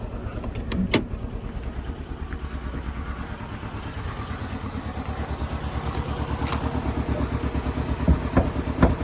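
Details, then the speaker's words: Chevrolet Cobalt with 180,000 miles, at idle, black smoke from exhaust, engine shaking: rough uneven stumbling idle with a lopsided pulse about two beats a second; misfire, cause still open. "Smoking on a, what you call it? Black. Got a misfire. Hear it."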